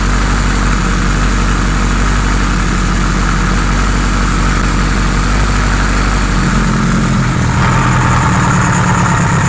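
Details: 1978 Kawasaki Z1-R four-cylinder with newly installed carbs: idle slightly lumpy and shifting pitch as speed changes; synchronizer shows 1 and 4 good, 2 and 3 needing tweaking, uneven idle, still behaving weirdly.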